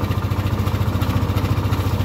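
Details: Yamaha Aerox 155 version 1 scooter at 38,000 km: deep regular knocking thump at idle; engine removed for overhaul.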